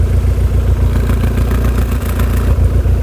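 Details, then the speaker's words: Skoda Estelle 120 with a Rover K-series engine swap: smooth, even tick-over with no misses or rattles, though it spits back through the carbs under revs; the carbs are to come off for cleaning. Normal idle. "Definitely need the carbs off because at tick over, perfect. I said perfect."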